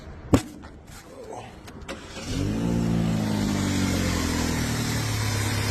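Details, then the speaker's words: Vauxhall Astra petrol engine after a misfire fix: the spark plugs, unchanged for about 37,000 miles, were worn out, and a new coil pack was fitted. It starts after a few clicks and runs smoothly and evenly. "that's better that's a lot better at that"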